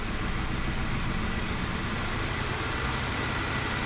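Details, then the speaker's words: 2016 Nissan Note, supercharged HR12 three-cylinder: P0302, flashing light, stalling and power loss. In a power balance test, cutting cylinder 2 barely changes the rough, lumpy idle, while cutting 1 or 3 stalls it: dead cylinder 2 misfire. "card number two and nothing happened RPMs split up a little bit but that's it"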